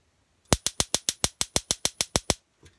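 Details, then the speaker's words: Atwood RV stove with new AA-battery push-button electronic sparker replacing the old twist sparker; twelve crisp, even, quiet clicks about seven a second, then stops; sparking normally and quieter than before. "you can hear that it's a lot more quiet than those old twist sparkers. So that most likely won't even wake up the family when I'm firing up the kettle."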